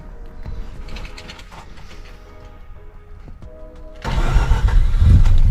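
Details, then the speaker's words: Mazda RX8 231 race car after a custom 3-inch exhaust build, first start: quiet clicking, then the engine catches at about four seconds and settles into a loud, rough-edged but steady idle; a healthy rotary start and idle. "Sounds healthy enough."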